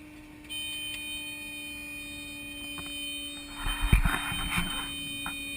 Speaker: For those of you that don't know, you never want to hear that horn that you're hearing. You never normally want to hear that. That's a stall warning horn. It says your plane is about to stall.